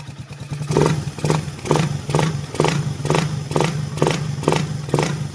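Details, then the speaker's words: Single-cylinder motorcycle after engine overhaul with new block, snap-revving from idle: each rev clean and even, the earlier knock (lagutok) on sudden revving is gone; remaining light noise is just the carb. "Wala na mga boss yung parang napalo o lagutok pagka sila nasabay sa rig, wala na."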